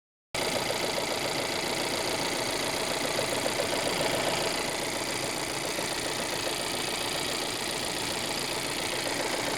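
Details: Volvo 1.5 T3 petrol engine idling steadily with a light, fast knocking at about three to four beats a second.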